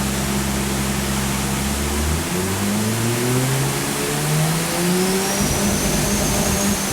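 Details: Mazda RX-7 with a single turbo conversion being tuned on a Haltech dyno. Pulls hard with rising tones, then an odd uneven note under load. Not normal; cause unclear.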